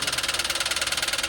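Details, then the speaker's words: Toyota Wigo confirmed to have sucked a lot of water into the engine: sharp, evenly spaced knocking about fifteen per second at idle, loud over a thin engine note, from a bent connecting rod. "Ayan confirm talaga mga boss na talagang marami-raming nahigop na tubig ong kanyang ano ah makina."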